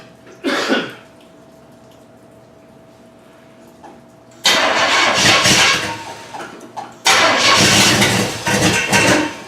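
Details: 1981 Recaro Turbo Trans Am pace car that sat nearly 6 years, with spark confirmed: long bursts of cranking with uneven catches where the engine kicks briefly but won't keep running. Cranks and tries to fire.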